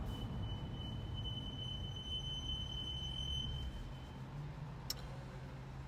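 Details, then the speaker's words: BMW M235i with M brakes, pads changed two weeks earlier, squealing for six months despite re-bedding: steady high-pitched squeal over road rumble while slowing, loudest during braking, then fades. "braking period is when the squealing gets really loud."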